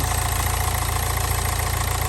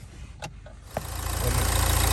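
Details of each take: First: Nissan Juke diesel, very low mileage, engine looks fairly new: revs have dropped nicely, steady even diesel clatter at idle with no misses or knocks, revs fall back after revving; normal idle. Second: Low-mileage diesel Nissan Juke with a weak battery that had run out of diesel, jump-started from an X-Trail: several cranking bursts, then it catches after a long hard start and settles into a rising, steady diesel clatter.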